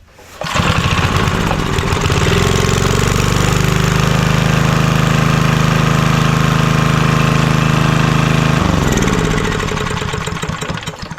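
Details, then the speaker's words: Vintage Homelite generator, probably late 1970s, stored about 30 years; started right up and runs good, smooth even steady hum with no knocks or misses, winds down cleanly. Heavy carbon on plug, may be burning a little oil. "Well, that was the easiest, quickest job I have done in a while. This thing started right up, runs good."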